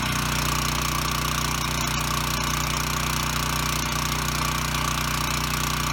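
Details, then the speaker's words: Ryobi RY905500 5500 W generator, no load: steady even drone at constant speed, no knocks, surges or hunting; runs normally, hertz and voltage good, one side dead pending GFI reset. "okay so the good news is it runs and makes power"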